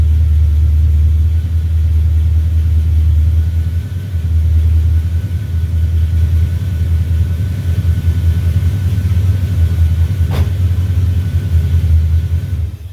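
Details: 1970 Duster 340 V8, started a little cold after new pushrods and intake gaskets replaced short pushrods that had caused ticking or knocking. Even idle with a steady lope and a quiet valvetrain with no tapping; normal idle.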